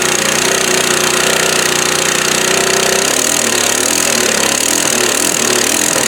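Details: Free 1998-era Craftsman 22-inch mulching mower, 6.25 hp: ragged, uneven running with sharp pops and crackles and no steady beat; the carburetor won't stay on, and an upper exhaust bolt is twisted off inside, causing the popping.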